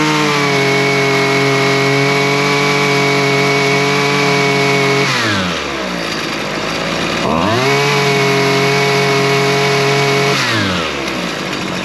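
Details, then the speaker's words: Two-stroke lawn tool after stale-fuel carburetor repair and a shortened fuel line that had trapped air; crisp even buzz at steady high idle with two clean blips; runs and idles nicely, normal running. "And it seems to be running pretty good."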